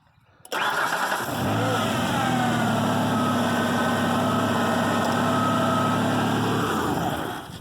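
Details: Old truck that wouldn't start, after cutting and restripping the corroded positive battery cable at the top post clamp: brief crank, then catches and settles into a steady, even run; starts cleanly.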